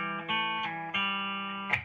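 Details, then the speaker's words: Fender Frontman 65R guitar amp that had made no sound (loose AAA battery found rattling inside), after repair with a guitar plugged in: chords ring out clean and full with no hum, crackle or dropouts; the output works. "i get sound not only that the drive works"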